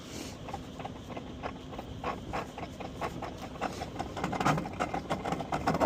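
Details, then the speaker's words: Fujitsu mini-split at about 10°F outdoors, tripped on code 94, standing pressure about 60 psi: fan spins up, then a rough, rising mechanical rattle and groan as the compressor tries to ramp; the compressor was bad and the condenser was replaced under warranty. "that thing sounds like [ __ ] garbage oh that sounds [ __ ] horrendous oh they might have a bad compressor"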